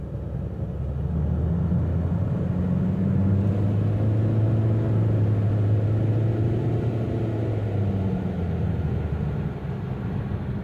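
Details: 2016 Toyota Avensis III 1.8 driving: low steady drone under road rumble while cruising, swelling a little mid-run; owner suspects CVT humming, not confirmed.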